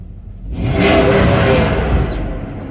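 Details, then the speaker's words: Mercedes S500 after timing chain and guide replacement: revs climb cleanly from idle and settle smoothly with no stumble or knock. Temperature runs slightly high because a leaking coolant cap won't hold pressure; acceleration otherwise normal. "accelerates just right temperature is a little higher because of the pressure in the system"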